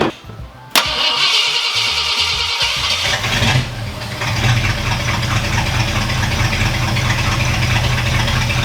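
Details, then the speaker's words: Lowered Ford Galaxie V8 after installing a working distributor and rewiring, with no timing in it; short crank then catches at once into smooth even idle, no stumble or misfire; normal start and idle. "There we go. Oh, there's no timing in it, but it runs perfect now."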